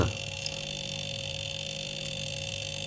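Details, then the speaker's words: 2019 fridge, 122 L, small unbranded compressor, thin iron tubing: loud steady compressor hum with gurgling like boiling water inside; refrigerant fully leaked through a leak in the low-pressure line, high-pressure pipe cold. "噪音挺大的估计这个压缩机也够呛仔细听的话能听到冰箱里边有咕噜咕噜的声音这种声音一般都是漏氟造成的而且大多数都是内漏咕噜咕噜响跟烧水的声儿似的"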